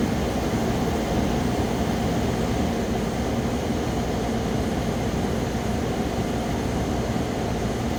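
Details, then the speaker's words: 8000 BTU Frigidaire window air conditioner, 2016, after a deep clean of clogged fins, compressor running: steady, even whoosh of the fan over a low compressor hum, no rattles or squeals; normal. "Yeah, we just missed the moment we were waiting for. The compressor already kicked in and it's blowing,"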